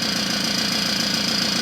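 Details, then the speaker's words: Puch Maxi two-stroke moped started for the first time since 1986, idling fast and buzzy with a dry rapid knock from a crankshaft bearing dried out by long storage. "The knocking that you can hear a bit now is the Kurbewelle. This long service life means the bearing is naturally dry"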